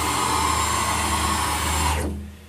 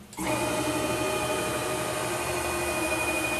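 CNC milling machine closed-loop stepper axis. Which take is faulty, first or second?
first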